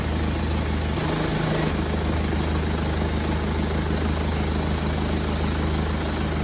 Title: BMW Z4 | Misfire Ignition Coil Replacement